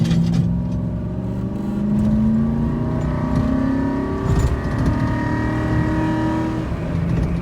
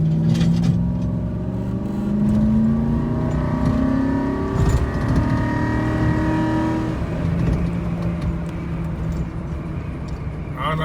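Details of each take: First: 2008 Ford F-150 with 320,000 miles, driven after a transmission fluid change: engine climbs steadily and drops cleanly at each upshift. Now shifts into fourth without getting stuck in third as before. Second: 2008 Ford F-150 with 320,000 miles, accelerating 0–40 mph before its first transmission fluid change: the engine note climbs for several seconds before dropping, so the automatic is holding gear too long. Shifts are harsh and delayed.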